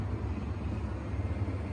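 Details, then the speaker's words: Miele WT2780 washing machine that tripped the electrics whenever the motor engaged, after the motor was removed and its brushes tested: on a rinse-out fluff program's high spin, a steady deep rumble with even hum, no surging or crackling. No tripping and no leaks. "And the moment of truth. It's now on a high spin."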